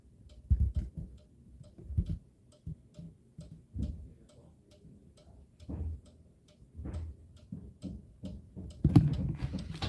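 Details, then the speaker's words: Cuckoo clock, running again after repair, still with cobwebs: soft pendulum ticks at about one per second, slightly uneven in a quiet room; normal ticking. "But yeah, technically you can hear the pendulum ticking, right guys?"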